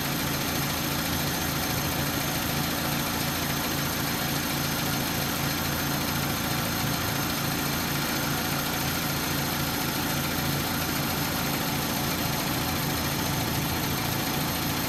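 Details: 2004 Hyundai Tiburon 2.0L idling with a light, uneven ticking about three to four per second that stops and then comes back; owner suspects a bearing, cause unconfirmed.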